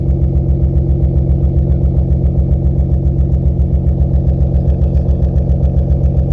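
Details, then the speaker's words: BMW E36 idling after exhaust leaks were fixed: loud, deep idle with a steady throb about four times a second, from a blown muffler; a new muffler is on the way. "Muffler's definitely blown. But New one on the way."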